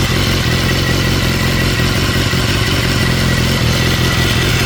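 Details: 2016 BMW S1000R inline-four, after replacing OEM hydraulic cam chain tensioner with manual tensioner; startup settles into even busy idle with no metallic cam chain rattle, top end sounds healthy.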